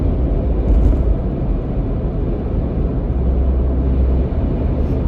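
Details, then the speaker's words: 2021 Ford Bronco hard top, while driving after lining the roof seal with Sonic Barrier foam: only low even road rumble, no chattering from the roof panels; a slight whistle heard from the start remains. "It's not chattering anymore. I still hear a slight whistle. That's a whistle that I've heard from the very beginning."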